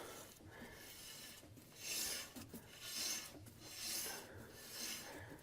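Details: 1969 Ford highboy truck, about 6-7,000 miles since build, front right wheel spun by hand: rhythmic dry metal scraping swish about once a second; brake rubbing, cause unclear, owner suspects broken self-adjuster; bearing play checked fine.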